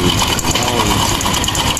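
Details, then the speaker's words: Honda Wave 110 / XRM 110 motorcycle engine at idle: fast metallic clatter throughout from a very loose cam chain; tensioner needs replacing, chain guide still okay. "guys sobrang luwag na Ibig sabihin palitin na yung tensioner onong guide okay pa"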